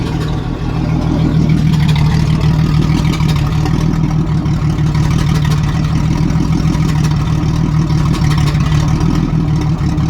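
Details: 1987 Jeep Cherokee Renix 4.0 rough idle miss: uneven stumbling revs with loping note; cylinder 6 exhaust rocker moving less, sticking valve or bad lifter; loosening that rocker bolt made it run smooth with a slight tick.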